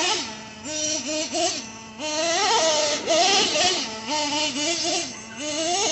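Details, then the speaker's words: Traxxas nitro RC engine restarted after a hot run, shut off by pinching the fuel line: high buzzy engine settling between short throttle blips that rise and fall cleanly; healthy, well-tuned, not erratic or boggy. "And always listen for a nice, good, low, deep idle like that. You don't want it to be super erratic or super boggy sounding, but just a nice mellow tone."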